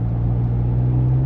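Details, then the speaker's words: 2002 Nissan Xterra V6 after stalling fix, driving on a local loop: deep even drone with steady low hum holding firm as the engine pulls, smooth and healthy: normal running under acceleration. "In all seriousness though, this little V6 meets expectations for an early 2000s mid-size SUV V6."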